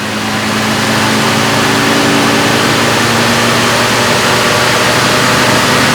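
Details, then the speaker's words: Stock 1966 AMC Rambler American, 199 cubic inch straight six, full throttle on a chassis dyno, slowly climbing to 4,000 rpm at about 100 mph: harsh steady drone, no misses or knocks; 65.97 hp at 3800 rpm. "this is legitimately how long it took our Rambo American to get to 4,000 RPM and approximately 100 mph"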